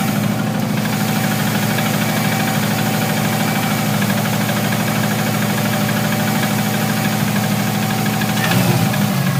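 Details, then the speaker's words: Subaru Impreza NA engine, tuned mechanically, likely overboosted during hard driving: idle with uneven deep knock about three per second from the bottom end; owner suspects rod knock or possibly a bent rod. "so the noise sounds very bottom and it sounds like Rob knock or possibly even a bent rod"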